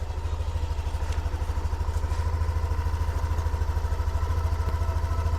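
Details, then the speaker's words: Yamaha Aerox Connected scooter, previously noisy after running out of oil, after repair with steering bearing replaced: steady, even single-cylinder idle, no knock or rattle; engine healthy. "Jadi untuk mesin oke, komstir oke aman. Kita tes nyalain untuk mesinnya."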